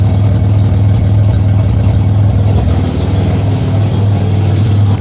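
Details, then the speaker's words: 2007 Pontiac Grand Prix with ZZP XPZ cam, first cold start after build, heard from the rear; loud, deep, chuffing raw idle as exhaust escapes at the flange where no gasket has been fitted yet. "Sounds like most of it's escaping here. Still haven't put a gasket in the flange yet."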